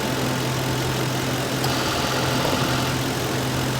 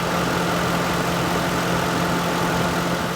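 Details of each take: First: 2006 Lincoln Town Car AC, after stop-leak, while adding a can of Freon at idle: steady idle with a short clutch engage-and-drop about every six seconds, then compressor comes on full time; cycling from low refrigerant, suspected small leak. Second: Lincoln Town Car AC compressor after adding 3-in-1 stop leak and a full can of Freon to the green zone, previously cycling intermittently: steady idle with an even constant hum, compressor running full time, blowing cold, healthy.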